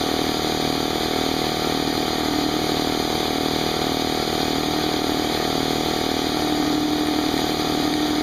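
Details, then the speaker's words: Brand-new Harbor Freight Central Pneumatic 68127 29-gallon 150 psi 2 hp dual-piston compressor, unloaded 10-minute break-in with tank drain open, still cold; steady fast twin-piston beat over smooth motor hum, fairly quiet; normal compressor running. "all plugged in let's turn it on it's actually pretty quiet we'll let it run for 10 minutes and uh see what happens"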